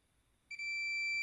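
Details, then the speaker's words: Fluke 287 digital multimeter on continuity, probes across a 28-ohm resistor: a quiet moment, then a steady high beep holds without pause, reading about 28 ohms; continuity beep across a low-resistance path. "Coba gerakkan ke samping, akan berbunyi bip. Ukurannya adalah 0,028."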